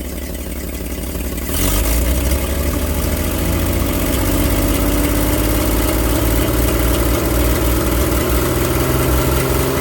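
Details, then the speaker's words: Old truck engine, unrun for 30 years, now warm with water running through the block: low, even rumble settling into a steady idle, no knocks or misses, 40 psi oil pressure at idle (nearly 50 revved). Slight smoke, rings not yet seated. Normal warm idle. "all right there you go she runs you can see that nice and warm and you saw the oil pressure got you know 40 pounds of idle at almost 50 pounds when it revved it up"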